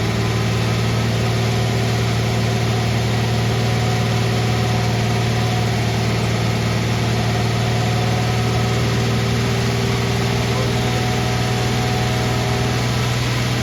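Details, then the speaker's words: Van engine idling smoothly with a strong low drone and no misses but a high idle. Owner suspects an evap problem after a brief evap sensor code; gas cap checked good and no vacuum leaks found. "See, it still sounds good. It just has a higher idle until I get the evap situation taken care of."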